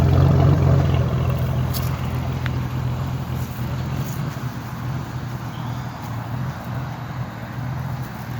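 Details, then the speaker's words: Ford F150 XLT 4.2 (stated 1997/1998): low rumbling idle with uneven, lumpy beat and occasional stumbles; sputters at idle but doesn't misfire while driving, owner suspects vacuum leak. "Yeah, you guys can hear it. It's sputtering pretty well. But when you're driving down the road, it don't misfire at all."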